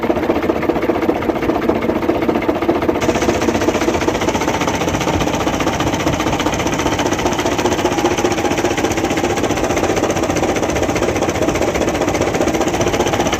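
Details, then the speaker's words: Truck diesel engine with a steady, fairly even knock about two and a half beats per second; crankshaft suspected as the source, not confirmed. "Engine में आवाज आ चुकी है और engine की आवाज जो है जो भी इंजन हो उसमें ऐसी आवाज आ सकती है"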